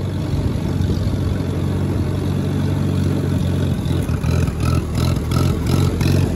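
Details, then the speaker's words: Allis-Chalmers WD-45 tractor working uphill in third gear. A steady low drone turns uneven and sputtering as it bogs under load, and is less bad downhill; cause unclear. "you notice how it's only doing it when i go up a slightly uphill in third gear because i'm kind of bogging it and working it a little bit more"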